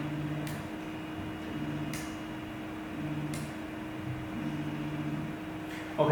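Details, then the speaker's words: Eryone ER20 3D printer homing after fixing loud homing noise by adjusting TMC driver settings (Marlin firmware): soft low motor hums in short even bursts, no banging at the ends; axes home quietly. "now you can see the printer homie is smaller and silent than before so it means working"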